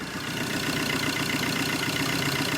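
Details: Tata Zest diesel after timing-chain work, earlier knocking (tak-tak) complaint, stone-cold morning first start: steady, even diesel clatter at idle with no uneven knocks or misses; engine sounds healthy, no smoke.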